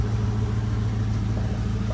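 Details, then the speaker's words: 1966 Ford Mustang convertible V8 about 90 seconds after cold start, temp gauge rising: low smooth even idle with steady beat, no misses, ticks or knocks; normal warm-up idle. "all right temp gauge is already moving been running about 90 seconds getting it going we're almost there"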